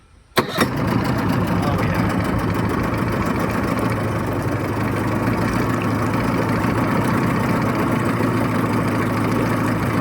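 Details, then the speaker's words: 1989 Yamaha 25hp electric-start outboard on flush water with the cowl on, after fixing a flipped fuel pump diaphragm (fuel filter strainer has a hairline crack). It starts with a sharp catch, then runs with a steady even buzz, no knocks or misses. "Alright, so I was like, well, we know the motor runs."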